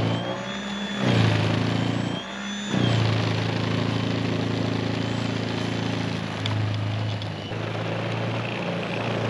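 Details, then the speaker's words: Greenworks 80V battery-powered snowblower clearing a lot of powder nonstop in a battery-runtime test, stretch done to the dirt in 6.5 minutes: steady electric motor hum with auger churning, dipping slightly as it bites, no strain; normal operation under load. "All right, so not too bad at all. I just got this whole stretch done down to the dirt, down to the earth, in 6.5 minutes."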